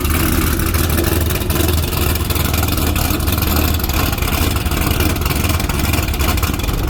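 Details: C6 Corvette after fixing crank-no-start by restoring spring tension on a bent fuel pump relay pin terminal (pump suspected fine): steady, even engine drone with no misses, stumbles or knocks; starts and runs normally.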